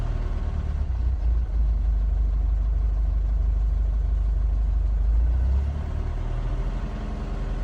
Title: Mercedes 651 engine rough idle